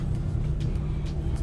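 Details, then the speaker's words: LG dryer model DLE4801W after replacing one bad drum wheel that caused loud rumbling and tumbling: steady low hum of the drum turning smoothly, no rattling, thumping or scraping. "turn it on, press play, and you can hear that it's working fine. No tumbling, no rattling"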